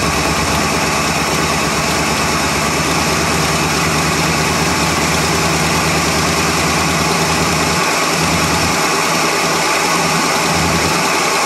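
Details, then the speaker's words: 1977 Ford F150 Supercab Ranger XLT with 460 V8, cold start after sitting, jumper cables attached, left in gear: big V8 lopes unevenly at idle, beat wavering and sagging as if ready to die; owner suspects stale fuel and being stuck in gear. "maybe it'll sit in idle or maybe it won't"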